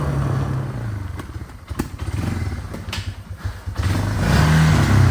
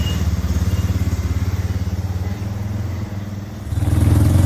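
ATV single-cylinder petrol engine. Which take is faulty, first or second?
first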